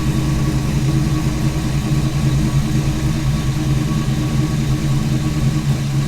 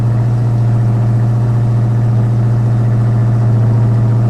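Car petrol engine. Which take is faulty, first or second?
second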